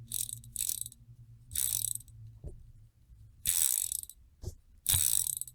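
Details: Chinese screw-in Shimano 7-speed bicycle freewheel, fully torn down, cleaned, greased and reassembled, spun by hand: bursts of crisp, even ratchet clicking, smooth and squeak-free, quiet; healthy freshly greased freewheel.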